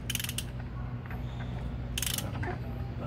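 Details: Kawasaki ZX9R engine after rebuild, cranking without spark plugs; rattly, ratchety clatter over the starter whir; owner suspects noise from the crankshaft area, cause unconfirmed.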